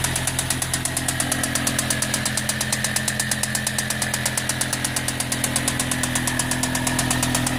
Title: M6 Engine Knock